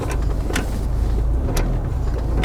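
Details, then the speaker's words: Hyundai Maxcruze (Santa Fe DM), heard from rear seat while driving off: sharp irregular ticks and clatters over road rumble near driver's door, occurring when starting and braking; loose object rolling inside, later found to be a lip balm. "요 소리. 뭐 따닥따닥 소리 나잖아. 굴러다니는 소리."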